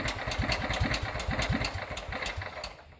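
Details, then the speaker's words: Riding lawnmower with a used Kohler engine swapped in for a blown Briggs & Stratton, possibly cold, first run after the swap: catches and settles into a soft, even putter with no knocking; quiet, normal start and idle. "Might be cold. Oh, that's quiet. There's no knocking."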